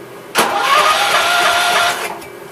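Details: 1969 Gravely 432 tractor, air cleaner housing mounted: about a second and a half of starter cranking that dies away without the engine catching; it cranks but does not start.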